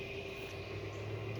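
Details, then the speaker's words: John Deere 1025R with replacement engine, no low oil pressure light: even, steady running with smooth low hum and faint constant whine, no knocks or misses; sounds better than the original engine. "Like I said, this motor even sounds different. Sounds a lot better than the motor I had in here to begin with."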